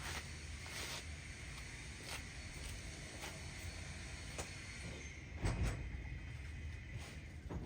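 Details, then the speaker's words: 1960 Ford F100 shop truck with open headers, first start in years after 10 minutes of cranking: starter churns the engine at a low steady pace but never catches; crank, no start. "I'm expecting it to fire off pretty soon since I've been cranking it for the last 10 minutes."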